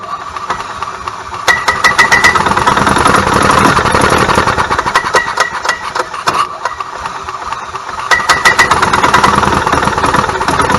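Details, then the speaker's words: 1998 Club Car DS gas golf cart engine surges and stumbles with irregular pops, trying to pick up but never running cleanly; misfire/skip, repaired with a new ignition coil/igniter. "all right so you can hear how it's trying to pick up and run but it won't"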